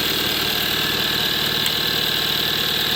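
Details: Kia Soul just after engine replacement, manual in neutral, first start with smoke from WD-40 on the exhaust manifolds: even, steady idle with a smooth quick pulse, no knocks or misses. Normal idle.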